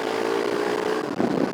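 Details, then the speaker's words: BMW R1150GS, ridden after a full repair following a major breakdown on the German autobahn; steady engine hum under way, partly buried in wind rush, no knocks or rattles; rider says it has a nice sound and rides okay; normal running. "It has got a nice sound to it. All seems to be riding okay."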